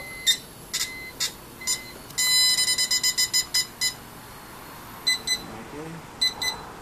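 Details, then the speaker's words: BMW E46 M3 convertible, after replacing the metal motor cover to cure clicking under the rear seat: irregular high chimes then fast beeps; top won't operate because the folded-in trunk divider blocks it. "I had my uh had my trunk that thing inside fold it in for more space and that's when it's not going to operate"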